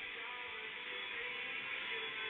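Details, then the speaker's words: FM/DAB radio on DAB with Belkin powerline adaptors replaced by a long ethernet lead during a data transfer: music clean and steady with no hiss, dropouts or buzzing; normal radio reception, no interference. "instead of using those Dreadful bellins I connected up with proper ethernet lead a long lead"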